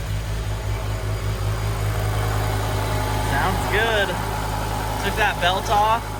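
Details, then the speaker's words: BMW E60 M5 V10 after rod bearing replacement, idling with the belt off so the power steering pump is not spinning: steady low hum, even firing, no rhythmic bottom-end knock; bottom end likely fixed. "off, so it's not spinning the power steering. Sounds pretty smooth. I think that we may have fixed the bottom end."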